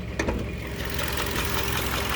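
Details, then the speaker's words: 2020 Toyota Camry SE at about 30K miles idling steadily with a fast, light ticking on top: normal direct-injection fuel pump noise, nothing to be alarmed of. "so the engine runs pretty good that sound that that extra sound that you guys hear the ticking that's there's nothing to be alarmed of it's just the uh the direct injected fuel pump and everything right here"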